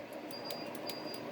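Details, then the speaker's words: Yaesu FT-757GX transceiver that no longer keys up, suspected short or weak regulator: run of sharp light clicks about every fifth of a second as the RF amp switches are pressed; the amplifier relay is switching normally. "click in there for the amplifier. That's working,"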